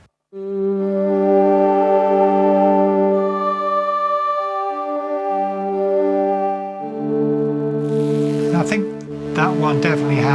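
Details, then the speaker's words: Roland D10 synth during restoration, playing B-bank patches. A held chord carries a gritty distorted edge. "bit of distortion in it which is quite interesting now a lot of them actually have a sort of jittering sound rather like a a slapback Echo type effect but some of them are a lot more glitchy"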